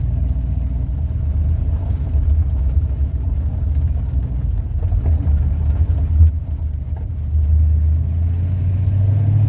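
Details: 1971 Ford Torino, rebuilt 302 V8 with C4 automatic, test drive after carburetor tuning with air cleaner refitted: steady low rumble pulling evenly under load, road noise underneath, no pinging or rattling. Runs good and smooth, no response problems; carburetor might still need jetting changes.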